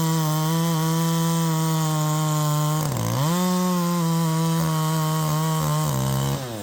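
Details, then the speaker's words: A Poulan Pro 5020 chainsaw with a 20-inch bar, just after a muffler mod, cuts at full throttle without letting off. Its steady scream twice sags sharply mid-cut and then recovers, cutting out like it is running out of fuel. The cause is unconfirmed. "it's like it's running out of fuel it's exactly like it's running out of fuel so you know we're getting all down into the cut and stuff and then right here you hear it cutting out I'm not letting off"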